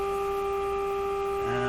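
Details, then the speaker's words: Electrohome Cosmic tube radio during IF stage gain testing, signal generator at 400 Hz with 30% modulation: a steady test tone with a rough hum under it; suspected leaky capacitors inside the signal generator. "sounds like a lot of leaky capacitors inside that signal generator"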